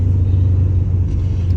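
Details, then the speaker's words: Chevrolet Monte Carlo SS V8, parked in a kitchen 20 years, first drive after revival: starts right up into a deep, even idle rumble with no knocks or misses, running smoothly. "and it starts right up well that's nice you ready"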